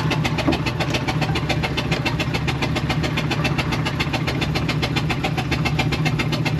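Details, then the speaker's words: 1999 Ford E350 5.4 V8 Utilimaster step van: uneven, lumpy engine run with a steady airy hiss over it, like something escaping. Onlookers suspect a loose belt, plug or exhaust hose; cause not confirmed. "that sounds like raw exhaust hose kind of noise sounds like it sounds like something's escaping from somewhere"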